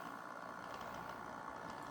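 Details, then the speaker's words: Bachmann GP40 Rio Grande DCC model locomotive at slow crawl with its shell on: steady mid-pitched electrical hum over the quiet motor; the hum does not occur with the shell off, cause unknown. "and it does have a pretty slow crawl but if you hear that hum that's what i'm talking about"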